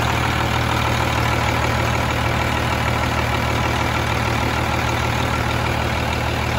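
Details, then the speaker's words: Freightliner FLD120 with Cummins M11 diesel, after fitting a new fuel-water separator and clear fuel lines: steady, even low idle with no stumbling or hunting, and no air bubbles in the fuel. Normal idle. "you'll see there are zero bubbles coming throughout the whole system"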